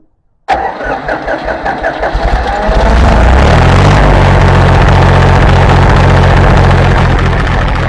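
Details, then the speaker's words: International 284 diesel tractor after fuel filter change and bleeding air from lines: a few seconds of cranking with rising chuffs, then catches and settles into steady, even diesel clatter; healthy start, seems to start easier. "I think that might have helped it a lot"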